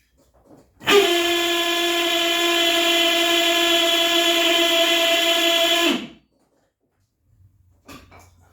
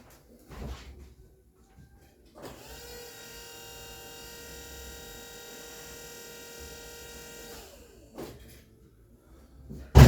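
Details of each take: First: Citroen Saxo VTS turbo (330+ bhp) electric power steering pump after filling with Dexron 3 and turning lock to lock: loud steady high-pitched whine for about five seconds, stopping sharply; owner suspects pump motor damaged by running dry during wiring. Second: Turbo Citroen Saxo VTS after power steering reinstallation with new line join and Dexron 3 fluid, system bled: steady clean whine for about five seconds then spins down; healthy pump, vast improvement over before.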